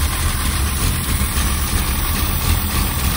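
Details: 1963 Mercedes-Benz W111 220SEb cabriolet at idle during restoration in a garage, some overfuelling noted at start: steady, even low rumble with no misses, knocks or rattles; engine sounds healthy and settled.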